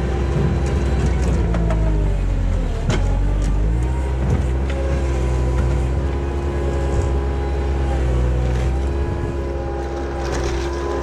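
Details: 1999 Bobcat 864 tracked skid steer digging after replacing the weak right-side drive motor with a rebuilt one: steady low engine drone, faint whine rising under load, even and smooth, no knocking; drive healthy.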